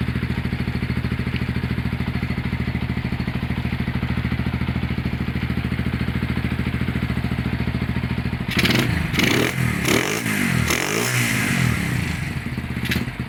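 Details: Honda GL100 (GLK 100, factory CDI) single-cylinder engine after rebuild, with a new tensioner blade and CDI fitted. A steady even idle, then crisp blips rising and falling cleanly with no knocks; the engine sounds healthy.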